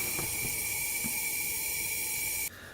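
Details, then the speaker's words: 2014 Honda CRF250L no-start, leak-down test at top dead center: steady strong hiss of compressed air for over two seconds, then cuts off; air blowing past worn piston rings. "can you hear that air coming through here so that means rings are letting air go by"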